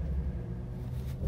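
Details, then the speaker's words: 2012 Ford Mustang 3.7 L, 70,000 miles, check engine light on, hard to start, stalling, lacking power, strong gasoline smell from exhaust: deep lumpy idle surging and dipping unevenly, running rough; misfire from leaking fuel injectors. "customers complaining of a lack of power running rough so let me start it up for you and let you have a listen check engine light is on runs like crap"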